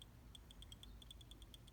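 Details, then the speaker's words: Fox-body Mustang 5.0, new fuel level sender tested, float arm swept: light, crisp, uneven ticks with no skips. Smooth reading about 14 to 161 ohms, no dead spots, replacing the old sender that had dead spots. "And then it's nice and smooth. You can hear it clicking."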